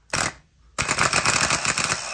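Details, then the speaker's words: Starter from a 1980 RN30 Hilux 4x4 with a Holden 186 engine, on the bench with a hot wire to the solenoid switch: a sharp clack, then a fast, lively whirr. The starter is fine, and a faulty relay in the car is suspected. "If we just touch that, whoa, there is nothing wrong with this."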